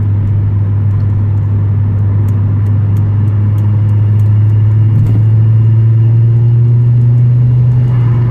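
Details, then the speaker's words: Car with swapped-in 19T turbo (replacing 15G), untuned so held to 30% throttle, about 10 PSI boost, on highway; turbo spools and engine breathes audibly, deep steady drone rising smoothly with no knocks or rattles; normal turbo pull under part throttle. "Turbo comes on, you can really hear it breathing now."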